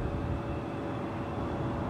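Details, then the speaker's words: Haier 5200 BTU window air conditioner bought in 2006, compressor just shut off with the fan still running: thin steady high squeal over the fan's whoosh; owner suspects fan motor problem or overcharged refrigerant. "that motor squeal so yeah definitely a motor problem or or she's overcharged"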